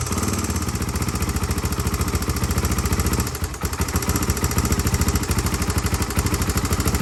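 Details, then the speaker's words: Honda 350X three-wheeler after a rebuild with a Wiseco piston kit, idling. A fast, sharp tick rides on every cycle; the decompression cam is clicking, so the decompression cam or the valve clearance needs adjustment. "we're gonna have to adjust either this or the valve clearance because uh you can see it here it's like this decompression cam's clicking"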